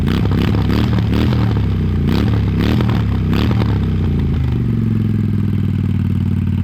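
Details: 1998 Honda Shadow 750 ACE after restoration (tank cleaned and sealed, carburetor cleaned, new petcock, new air filter): deep loping V-twin exhaust pulses with a few throttle blips, settling to steady idle; healthy normal running.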